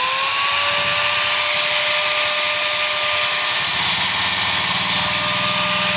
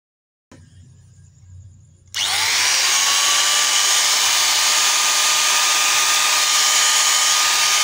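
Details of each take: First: Hand angle grinder spins up to a loud, hissy whine with a rough low rattle and excessive vibration, possibly caused by a worn, loose bearing that needs replacing. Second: Electric hand angle grinder after repair: the worn, loose bearing that had caused heavy vibration and loud noise was replaced, and the motor nut was tightened crosswise. Now a smooth, steady high whine that spins up quickly and winds down evenly, with no wobble or rattle; normal running.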